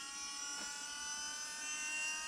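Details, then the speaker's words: Audi 80 EV conversion while driving: a steady high whining drone, like a forklift, from the power steering pump; electric column or rack assistance is being considered to remove it. "that would remove the last thing when you're driving this thing is always the Drone coming from that [Music] thing I'm not driving a forklift but that's what it sounds like"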